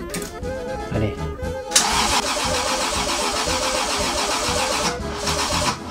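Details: Freshly wired 2JZ engine swap on its first start attempt. The starter spins the engine in a steady, even churn for several seconds, but it never catches or runs on its own. It cranks but won't start.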